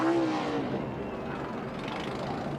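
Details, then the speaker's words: ARCA race car after winning at Pocono: loud ragged blatting note with a raspy lawnmower-like edge as it moves off, suggesting an exhaust leak. "can hear that exhaust leak. Sounds like a lawnmower."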